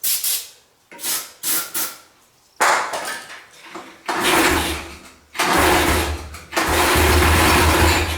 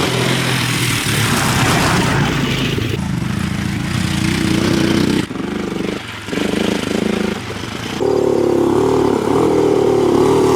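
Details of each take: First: 1985 Yamaha three-wheeler barn find, engine just unseized: short, sluggish cranking bursts that drag and never catch. The battery is too weak to start it. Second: 1985 Yamaha three-wheeler ATV, barn find that sat about seven years after kerosene was put in the tank; after top-end rebuild with new exhaust valves, pull-started with no battery: single-cylinder thumper settles into a steady beat, pulls up with throttle and holds without dying, running normally.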